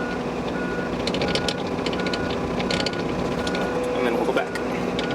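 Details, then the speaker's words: John Deere 35P mini excavator tracking at full throttle in turtle and rabbit speeds: even high-pitched beeps about twice a second over steady engine drone, the normal travel alarm, which can be cancelled but returns after each stop and restart. "final thing for movement while you're moving you hear that beeping you can click that and you're going to cancel it but anytime you stop start back up you're going to have to click it and cancel it again"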